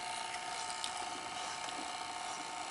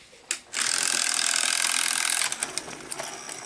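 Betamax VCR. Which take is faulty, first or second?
second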